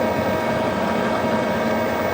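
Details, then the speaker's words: VARMINPOOL 220-volt variable speed pool pump, new install, at speed 3 (3200 RPM). Loud, steady motor whine with a clear hum and no rattle or grind. Normal, smooth running at fairly high speed. "That's speed 2 at 2000 RPM. Speed 3 is probably 3000. No, what's it gonna get to? 3200 RPMs."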